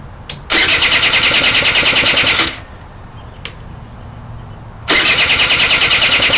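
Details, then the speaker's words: Suzuki Quad Sport 80 ATV that has been sitting for a while, before carburetor cleaning: the engine fires in harsh, uneven bursts that sputter and die away, then catch again; running rough. "this thing's been sitting for a while and uh it's running real rough I'm going to I'm crank it up a little bit that way you can take a look at it"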